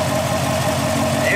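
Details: Car with Speed Engineering LT headers after one year, hood open, engine idling. Steady, even V8 idle with a smooth low drone and no ticking, chatter or exhaust leaks from the headers: healthy idle.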